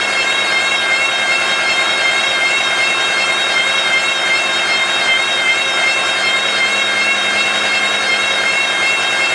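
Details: Volvo V70 with engine running, lights on, in third gear: steady high multi-toned whine, worn wheel bearing noise.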